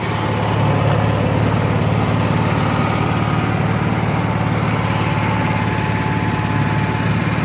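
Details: Honda EXW171S gas welder/generator after fuel system restoration, fuel cutoff valve working, clean oil, good air filter. Even, steady low drone at constant speed without misses, knocks or hunting; running smooth and healthy.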